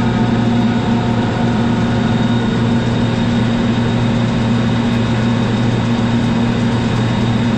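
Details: 1990 Kaeser DS200 150 HP 480 V 3-phase rotary screw air compressor, 700 CFM 125 PSI, 47,597 load hours, 56,834 run hours, new oil and filter: steady, even hum, smooth mechanical tone, no knocks or surging; works as it should.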